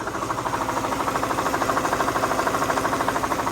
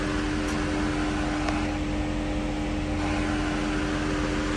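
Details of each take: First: Mercedes SL500, driven from Florida to Ohio: sharp, very even knocking at about three per second over the running engine from the failing ABC tandem pump, to be replaced by a standard power steering pump. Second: Mercedes SL500 at 46,000 miles with its ABC tandem pump replaced by a standard power steering pump, fluid topped off, steering wheel being turned: steady, even hum with no moaning or growling, so the new pump sounds healthy.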